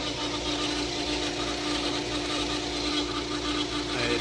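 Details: Subaru Legacy 3.6R at idle after power steering pump replacement: steady mid-pitched pump whine from air in the system, as the fluid had run down to zero; expected to clear once bubbles work out.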